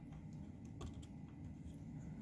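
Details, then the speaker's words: HO Life-Like Proto 2000 E9 model locomotive after a hard-wired DCC decoder install, running forward and reverse on track: a rough, continuous low grinding under the motor with scattered clicks; cracked axle gears feared, debris found in the trucks' gears. "we don't have something else wrong oh it sounds like cracked axle gears oh man"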